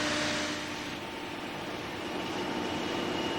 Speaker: it's called singing this is caused by vortices shed from the trailing edge of the propeller alternately from the pressure side and the suction side